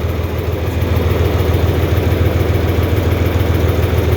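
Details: 4020 LP propane tractor idling warm on liquid propane, vaporised in the coolant-heated converter before the carburetor. Steady, even low putter with no misses or knocks. The engine runs smoothly.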